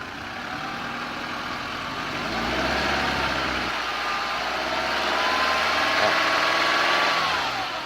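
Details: 2013 Nissan Altima coupe idling: a thin, steady whine around 1 kHz sits over the engine, rising slightly and dropping away near the end. It seems to come from one side of the engine bay.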